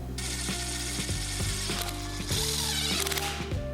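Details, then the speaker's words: Restored manual gearbox, shifting cleanly on the bench after the rebuild; crisp, evenly spaced clicks as each gear detent engages, with no grinding or rattle. "Click, click, it's working."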